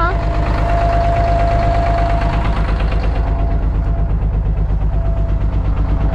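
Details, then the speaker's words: 1992 Kenworth diesel truck, just started with 70 psi oil pressure: steady diesel clatter at about three pulses a second, even and unbroken; healthy idle with no knocks or misses. "did you tickle him she runs man oh and even idols and everything"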